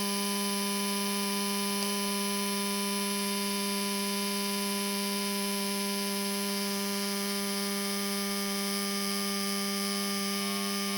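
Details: Laptop fan suddenly started making noise, a steady buzzy whine near 200 Hz with ringing overtones; CPU overheats and shuts down, cause unclear.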